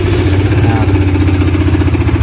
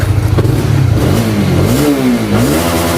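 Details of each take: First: Honda CBR (new model) single, apparently rarely used and in very good condition, idling before repair. A rapid, even metallic ticking rides over the exhaust pulse and persists when revved, from the cam chain tensioner letting the chain slap. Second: Honda CBR (new model) motorcycle after replacing the cam chain tensioner rod: engine blips up and settles repeatedly, pitch rising and falling cleanly with no ticking or rattle; normal revving, tensioner good.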